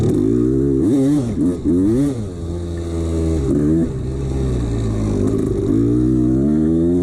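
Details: 1989 Honda CR250 two-stroke blipping up and down with a hollow rattle under the exhaust note; loose piston slapping in its bore, ignored by the owner.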